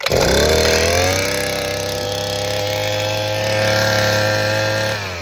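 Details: Southland 43cc two-stroke auger after fixing a fuel issue and priming good fuel through the line: snaps up to a high, steady buzz without stumbling, then eases slightly; fuelling cleanly, normal running.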